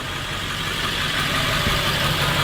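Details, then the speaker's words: International diesel engine (same as the 7.3) idling in cold weather, running on waste veggie oil, motor oil and transmission fluid: steady, even clatter with no misses, firing and running normally, noticeably quieter, slight blue smoke. "Fires just like it normally would. Runs just like it normally would. The engine is noticeably quieter."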